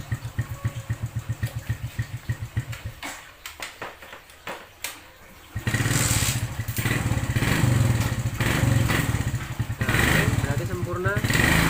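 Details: Suzuki Smash New motorcycle after reinstalling a clutch stud that had come loose and caused a rough noise from the clutch side. It ticks over evenly, cuts briefly, then revs smoothly with no rough rattle; now normal.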